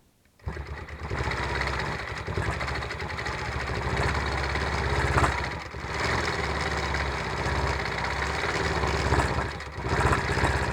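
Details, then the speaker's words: Gammill longarm quilting machine, action camera mounted on the machine, stitching: fast even stitching hum with a light rattle from the ruler base left attached underneath; normal for the setup. "little bit of rattling that you can probably hear is because I have the ruler base on underneath this, because some of the blocks I'm actually doing ruler work on."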